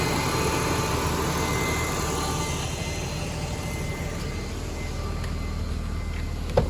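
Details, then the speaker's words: BMW E46 after secondary air check valve replacement for a check engine light: low steady idle hum with no misses or surging, no smell; idling normally, light may return after several cycles. "however right now it seems fine and it's idling fine i mean i don't really smell anything don't really hear much"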